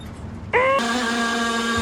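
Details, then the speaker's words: 1000 hp K-series jet boat: instead of normal cranking, the starter gives a steady, loud buzzing drone with no turning rhythm. The cause is a poor ground. "it didn't have good enough ground that's what it sounded it sounded so crazy sound like i even said in the video i've never even heard this sound it was just different"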